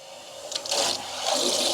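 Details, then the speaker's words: Newly installed 50-gallon electric water heater from Lowe's on well water, hot outlet opened to vent: strong steady rush and hiss as cold water fills the tank, no knocking or banging, normal filling. "We're going to open that just so it can vent. And then we will turn our cold water on to fill the tank up."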